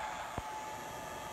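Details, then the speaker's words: Inverter in experimental A123 lithium NMC 25.6 V pack solar system, output running above 120 V, no load connected: thin steady high-pitched buzz over charge controller fan hiss; inverter buzz at no load. "i'd prefer it to be down at 120 or below maybe 115 and it kind of buzzes a little bit if it doesn't have a load on it"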